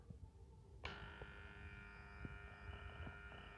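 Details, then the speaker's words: Transformer switched from mains supply, where it was silent, to inverter power: quiet room, then a steady multi-tone buzzing hum starts at switch-on and holds; iron core humming on inverter supply, the same noise fans make on inverters. "तो जैसा की तुम सुन सकते हो इसमें से फिलहाल कितनी तेज आवाज ए रही है इनवर्टर पर चलने के बाद जबकि जो हमारी में सप्लाई थी उसमें से जरा भी आवाज नहीं ए रही थी"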